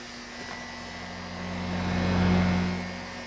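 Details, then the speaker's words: Small two-pole shaded-pole induction fan on line power, drawing 17 W: a steady low hum with a faint mains buzz and soft airflow that swells and settles. It is running smooth and healthy. "probably hear the speed it's running at and we are drawing 17 Watts 21 amps"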